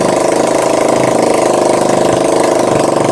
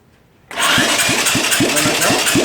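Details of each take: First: Honda ATC three-wheeler, started on choke after sitting, before starter motor removal for sluggish cranking: small single running steadily and evenly at raised choke idle, no knocks or misses; normal choke idle. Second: 34-year-old Honda ATC three-wheeler, electric start run off a car battery: starter turns the engine slowly and unevenly, about five labored compression pulses a second, lazy cranking; cause unknown, starter motor or wiring suspected.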